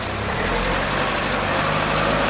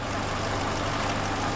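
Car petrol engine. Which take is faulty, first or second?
second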